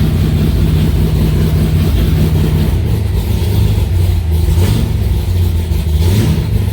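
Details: Aluminium-bodied Cobra V8 idling in a garage after first start in two months: deep, even burble with a couple of gentle throttle blips, no knocks or ticks; sounds healthy.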